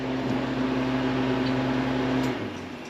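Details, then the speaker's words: Harvest Right freeze dryer at the finish of a cooked-ham batch: steady hum with a constant mid-pitched tone that stops cleanly at switch-off; the batch is completely done and the machine runs normally. "And as you can hear, it's completely done."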